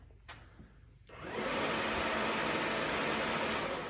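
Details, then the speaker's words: 2018 Yamaha YFZ450R radiator fan switched on by a newly installed manual fan switch spliced to the black wire, working with the key on or off: quiet, then the fan kicks on into a steady, even whoosh with no buzz or scraping; it works properly. "And when you press the on button, it should come on, rather if the key's on or not."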